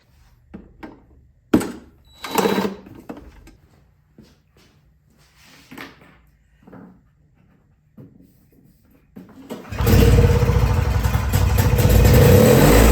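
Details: Yard Machines 21-inch single-stage snowblower, two-stroke on 50:1 mix, primed and choked after fuel line work: after some clattering it catches and settles into a steady, even run with no misses; normal running.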